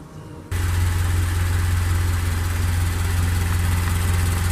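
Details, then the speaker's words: FR-S after dealer fuel pump assembly replacement, hood open, engine warmed up after running a while: smooth even idle with steady drone and faint belt whir, no chirp or squeak. "guys you see I have the hood open out and I started it on it so it's been on for a while and now you don't hear the church noise"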